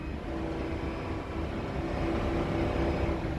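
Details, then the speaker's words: RV engine making an extremely loud noise from the engine compartment whenever the accelerator is pressed: a rough roar with a steady mid-pitch tone building slightly; owner guesses a loose belt, not confirmed. Loud engine noise on acceleration. "there's a really loud noise coming whenever i hit the accelerator there's just an extremely loud noise coming out of the engine compartment"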